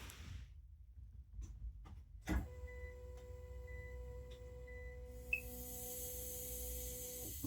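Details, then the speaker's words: 2019 Citroen Berlingo 1.5 HDI with fault code P008B (high pressure in low-pressure fuel system), after contaminated fuel: lift pump buzzes on, then a sustained hiss from the rear tank as pressure builds because fuel isn't returning properly. "okay so you hear the first pump kicking and then you hear this hissing noise from the back"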